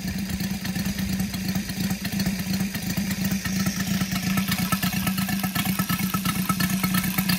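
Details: Brand-new Saito FG-73 five-cylinder radial, fully upgraded with Morris Mini Motors hardware and exhausts, on a Biela 20x10 four-blade prop (600–5500 rpm), at low idle: lumpy but steady chuffing with even pulses, no misses or clatter; normal, healthy idle.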